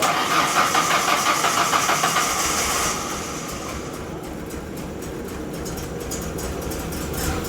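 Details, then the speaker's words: 1997 Mazda B2300 (rebadged Ford Ranger) after replacing a badly snapped timing belt; quick crank catches within a couple of seconds and settles into steady even idle; starts and runs normally. "So, as you guys saw in the last clip, we got it running. It was the timing belt."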